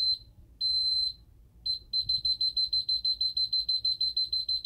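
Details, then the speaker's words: Ademco 6137R alarm keypad arming to away: high shrill beeps with a few broken stutters then a fast steady chirp about three per second; the piezo sounder struggles to keep its pitch and stutters. "You can kind of hear the piezo having a little bit of an issue keeping its pitch. And it also stutters a little bit as well."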